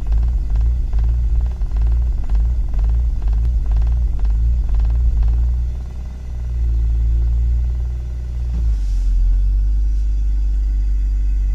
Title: M54 rough idle due to broken MAF sensor